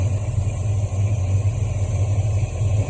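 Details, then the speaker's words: 1973 Ford Mustang Mach 1 V8, Holley 750 CFM 4-barrel, choke fully open and fast idle cam dropped: deep slightly lopey steady burble, no knocks or misses; normal idle. "That's the idle speed with the choke completely open, and I manually had it open completely to get the drop off the cam."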